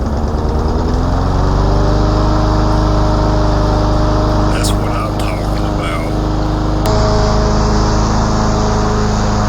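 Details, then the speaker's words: 2012 Yard Machines 11A-A54R729 mower, Briggs & Stratton 158cc 500 Series, new HIPA carburetor and tune-up kit; next-day cold start then cutting 4–5 inch thick growth, steady even drone dipping slightly, never bogging: good power under load. "Wow, that new carburetor and tuneup kit from Hippa hit the target for this yard machines. This is a really good basic mower with good power."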